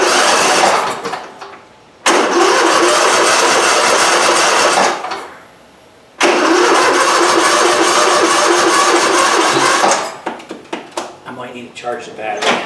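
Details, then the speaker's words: Briggs V-twin on a Husqvarna lawn tractor, after governor gear replacement for wild racing regardless of throttle. Cranking bursts, then it catches and settles into a steady, even run without surging: normal start and idle with throttle control restored. "That sounds pretty good. It's a lot better. It's not racing wild as if it's going to self-destruct. We have throttle control again."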